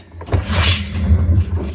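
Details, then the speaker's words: First-generation Whirlpool Cabrio washer, drum turned by hand with rust showing from water leaking: loud, rough low rumble with gritty scrape; bearing gone, tub bearing job needed. "Yeah, super loud. Bearing's gone. So we'll have to do a bearing job on this one."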